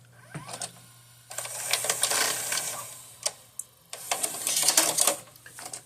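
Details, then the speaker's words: Magnavox DVD/VCR combo with a tape inserted: a faint hum, then bursts of whirring and clicking as the loading mechanism wraps tape around the drum, stopping and restarting before the unit shuts itself off. "as you can see the power is off so let's turn it on and listen closely you see it turns off again"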